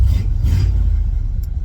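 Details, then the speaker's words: Ford 302 (1994 roller engine converted to carburetor, about 200,000 miles) with old Holley 390 CFM 4-barrel, after fixing the accelerator pump: deep even rumble pulls cleanly under throttle with no stumble or bog. "Weird, a working accelerator pump actually makes a difference on a carb designed to have one."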